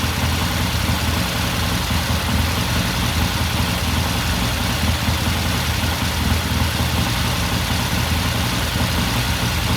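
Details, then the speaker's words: 1969 Triumph TR6 twin after pilot jet cleaning and pilot air screw adjusted half a turn, warm after a cold start: steady, even idle with no knocks or misses; normal idle. "It sounds good. I'm just going to let it sit here and idle for a while."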